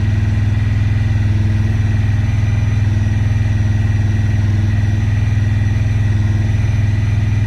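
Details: 2017 Honda Pioneer 1000-5 with 1,200 miles, code 9-2: a steady, fast, even idle with a low hum that never drops back down, sometimes too high to go into gear; caused by factory over-crimped, broken wires at the IACV plug.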